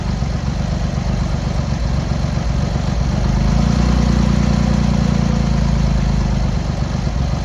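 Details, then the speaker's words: Cold Triumph Hurricane X75 triple, rebuilt carbs just refitted, on throttle stop with choke on, pilot screws thought about 7/8 out: lumpy, uneven idle, revs swelling and sagging, a cylinder seemingly firing intermittently; carb tuning suspected needed; rough idle. "We're on the throttle stop there, but we've still got the choke on. Probably do need to give it a bit of tune."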